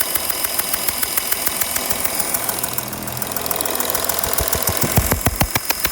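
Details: 2012 Porsche Cayenne 3.0 diesel, steady idle with a sharp regular tick about three and a half per second over the rumble; exhaust leak suspected, unconfirmed; engine ticking.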